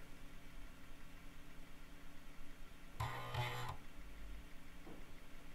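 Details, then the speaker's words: Teac FD-55GFR 5.25-inch floppy drive connected through an NEC UF0001 USB controller and a 26-to-34-pin adapter, booting from old disks: low hum, then a short buzzing seek burst; normal seek and read. "so um you could see that this good old drive uh hooked up to the the usb controller plugged into the computer it could read write stuff boot you could copy files still works"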